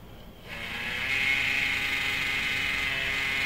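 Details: Xbox One AC adapter left in instant-on low-power mode, with its fan spinning into a harsh buzzing whir and grind. The cause is the fan bearing: cleaning out the dust didn't help, but greasing the fan fixed it.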